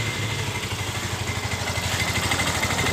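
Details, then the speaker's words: Yamaha Mio M3 scooter at idle, complaint of a rough noise from the left CVT case: coarse, uneven rattle riding on the beat that goes away when the throttle is opened. "motor ini suara kasar di bagian bak yang di sebelah kiri ya teman-teman dan kemudian untuk memastikan suara kasar yang dikeluhkan oleh pemiliknya dan coba kita hidupkan terlebih dahulu"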